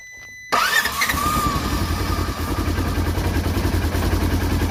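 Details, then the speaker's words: 2016 Polaris Ranger 900 XP, crank-no-start; dirty oily airbox boot and throttle body, throttle body chatters and closes at key-on and never opens when starting. Starter whirs a few seconds, then uneven chattery idle. Hard starting, cause suspected. "If you noticed, it chatters a little bit and then closes when I turn the key on. And then when I go to start it, it never opens up"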